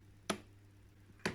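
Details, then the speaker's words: Miele W2839 built-in washing machine in service test mode; two crisp ticks about a second apart as the detergent drawer selector steps into position; normal detergent drawer selector ticking. "o tık tık tık tık gelen sesleri bana diyor ki işte vatandaş makinenin içinden tıkır tıkır tıkır tıkır sesler geliyor Normal mi bu Evet bunlar da non normal"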